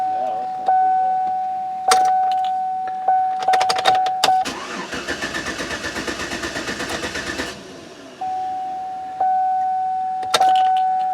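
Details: Vehicle tested right after the starter was reinstalled and a sensor near it was installed: a door chime beeps, then the starter churns evenly for about three seconds without the engine catching. It cranks but won't start.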